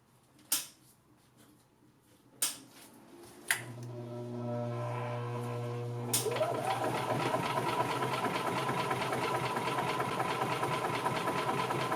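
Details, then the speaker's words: 2000 Yamaha G16 gas golf cart, first start after sitting since 2013, after a blown 10 amp fuse was replaced and on old fuel: a few clicks, then droning starter cranking until the engine catches and settles into a steady, even run. "I will be very very surprised if this thing starts holy crap"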